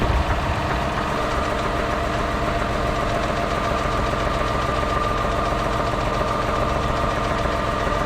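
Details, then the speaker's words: 2010 Ford Escape after a no-start fixed with a new battery: steady idle with an irregular knock at about three to four per second; the knock's cause is not pinned down. "huh runs it's got a knock just needed uh some more cranking amps I guess"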